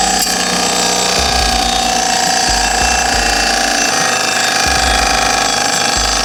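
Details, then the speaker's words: Rebuilt 30-year-old Mazda Miata engine heard by stethoscope at the timing cover, with a brand-new water pump: a fast, irregular chattering scrape with whirring over the running engine. Suspected worn water pump or timing belt idler bearing; unconfirmed. "it seems really loud like right in this area let see how he scratches that's a brand new uh water pump"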